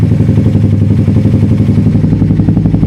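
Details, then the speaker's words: Suzuki GSX-S150 single with aftermarket exhaust and K&N air filter on stock ECU just reset, after a long warm-up idle: steady thump about three beats a second, even and settled with no hunting; normal, stabilized warm idle. "Yan, so mukhang naka-warm up na yata siya guys. Kanina ko pa ito pinapa-idle. Yan siya."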